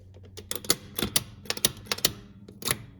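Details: Crisp mechanical clicks, about a dozen in three seconds, each a clean advance: the twin numbers feature stepper unit on the back door of a Bally Super 7 bingo pinball machine ratcheting up properly.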